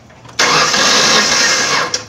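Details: 2005 Ford Ranger 3.0 V6, compression test with coil pack disconnected: about 1.5 seconds of steady starter whirring, no firing; cranking with ignition disabled.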